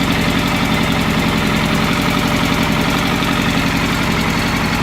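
Steady idle with a dull, rapid knock riding on the engine beat, about three per second; a knock at idle, cause not yet pinned down.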